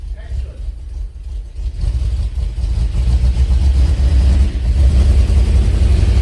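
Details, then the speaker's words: Classic Mk1 Range Rover V8 with cheap new coil/plug leads: rough uneven pulsing about four per second as it revs, one cylinder dropping out on throttle; cured by fitting Magnecor plug leads. "um and they literally would not make this car run on all cylinders and basically fire in a nice way you definitely had a cylinder that was missing yeah 100 yeah but we definitely had a cylinder that was not fire you could hear it on throttle up"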